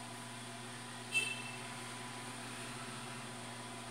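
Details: New automatic egg incubator bought online, just switched on and warming toward its 37.8°C setpoint: quiet, steady low hum with a faint even whir and one small click; the fan runs smoothly and sounds normal.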